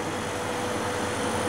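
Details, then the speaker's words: Homemade refrigerant recovery machine, compressor running as refrigerant is recovered, with pressure rising: steady, even hum with a faint constant tone, no knocking or rattle; compressor working normally under load. "Ahí está empezando. Lo pongo así para que vea si se escucha el ruido. El compresor. La presión está subiendo."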